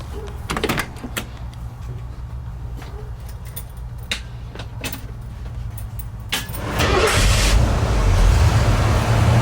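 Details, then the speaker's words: Early Ford Bronco after a new starter was installed. Some clicks, then a strong, even rumble as the engine turns over; the starter now cranks properly and works a lot better than the old intermittent one. "Starter works a lot better. Yeah, it does."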